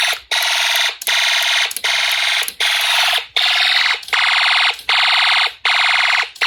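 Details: Homemade Snap Circuits fire alarm system test with panel unsilenced: loud high buzzing horn in bursts just under a second with brief gaps. Fire alarm horn sounding normally.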